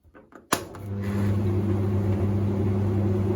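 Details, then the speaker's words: Hoover Ecologic D6722 tumble dryer dated September 1991, tested after being dismantled and de-fluffed: after a quiet start it spins up to a smooth, even low hum with steady drum rumble, heating normally and smoother than the owner's own dryer. "nothing wrong with that sounds a heck of a lot smoother than my original one"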